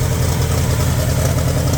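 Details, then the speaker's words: 1960 Pontiac 389 V8 after sitting about 10 years, still on bad gas: deep idle with slightly uneven lope, weak cylinder coming back and smoothing out; rough idle improving. "That cylinder is starting to come around. That thing's smoothing out a little bit. It's not running as bad as it was."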